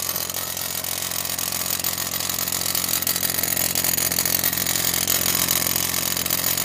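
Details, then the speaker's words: 2006 BMW X3 3.0i at idle, at startup and at stops: tinny metallic buzz at the muffler over steady idle, staying constant; exhaust rattle, owner suspects a stuck exhaust butterfly valve, unconfirmed. "hey YouTube what's up uh well making a video of a BMW X3 it's making a rattle noise when I turn it on on the muffler so let's get started I don't know if you can hear"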